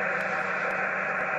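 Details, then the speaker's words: HF radio at the home QTH receiving on 11 m: constant loud hiss with faint ticks about twice a second, noise at S5–S6 that swamps reception from an unknown source, still present with the whole house's power off and the radio on battery. "F6 S5 S6 annoys so I really do struggle at my qth"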